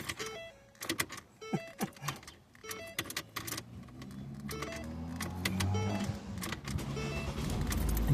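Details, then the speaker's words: 2008-12 Ford Escape/Focus/Tribute/Mariner family: repeated key clicks and chimes with no cranking before the engine finally catches. The owner attributes the no-crank to a failing ignition lock housing rather than a low battery. "So, as you can see, it didn't want to start and then it started. It took a while for it to start."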